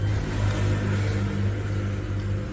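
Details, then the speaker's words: 12V 5kW Chinese diesel heater after E-10 ignition fault, on 13.4V supply: steady low hum and smooth drone as it lights off with pump running; some smoke at startup, normal ignition. "Obviously, that diesel's drained out of it a little bit. But, that's it running there."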